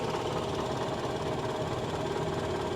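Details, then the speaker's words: GMC Envoy XUV at a salvage auction lot, A/C working and goes into gear: steady idle with a light, busy rattle over it; mild engine rattle at idle, no clear source. "she she does sound a little rattly doesn't she just just a a a little yeah a little rattly"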